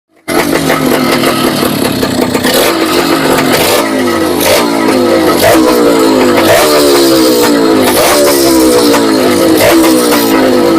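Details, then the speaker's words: Two-stroke engine run before planned overhaul, no engine oil yet: loud ragged revving with rattly metallic clatter through rise and fall; owner hears piston knocking and ticking, suspects worn piston and possibly stock connecting rod. "Ang naririnig ko lang, piston knocking, may kalasing siya, saka lagitik."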